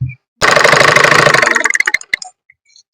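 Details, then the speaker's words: Single-needle sewing machine: fast regular ticking about three to four per second while running, slowing as it stops; the thread-carrying part moving down touches the face plate. "ഒരു tick tick tick tick എന്നുള്ള sound ആണ് ഈ sound എന്താണെന്ന് വെച്ച് കഴിഞ്ഞാൽ ഈ സാധനം കണ്ടോ ഈ നമ്മൾ ഈ ത്രെഡ് ഇട്ടു വരുന്ന ഈ സംഭവം ഈ ഒരു നിൽക്കുന്ന ഈ ഒരു സാധനം ഇങ്ങനെ വന്നിട്ട് താഴോട്ട് കണ്ടോ ഇവിടെ വന്നു കഴിയുമ്പോൾ ഈ ഫേസ് പ്ലേറ്റിന്റെ ഈ ഒരു പോർഷനിൽ വന്ന് ടച്ച് ആവുന്നുണ്ട്"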